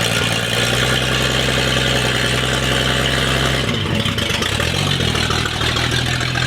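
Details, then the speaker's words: 1959 Chevy Apache that sat over 40 years: the old engine catches and idles roughly for a few seconds, with oil pressure and charging shown, then sags and stumbles as fuel runs out. "will it idol [Music] will i idle yeah good lord you got it's running out of gas and you got oil pressure you got amps"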